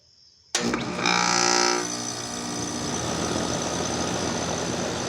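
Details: Daikin DX14 2-ton unit scroll compressor at startup: sharp start, loud droning hum with a brief rising buzz, settling into a harsh steady roar; unusually loud compressor noise on startup.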